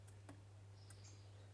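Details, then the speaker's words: Wahoo Kickr trainer with cover off, turned by hand: a few sharp isolated clicks over a steady low hum; belt-wear powder found, owner suspects rubbing on the top lip when the tensioner is tightened. "So I think I'm going to loosen this tensioner next. So when this is tightened, it causes a rubbing noise."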